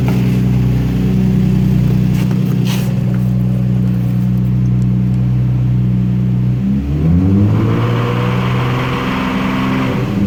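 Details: Infiniti G35 engine at idle with a quick, light tick, then revs rise and fall; owner has no idea of the ticking/knocking cause.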